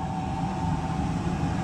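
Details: Oil-fired whole-house furnace after filter change and cleaning, boiler pressure rising to 30, pipes warming: steady, even roar over constant fan hum, no pulsing, puffing or rumble — normal burner operation.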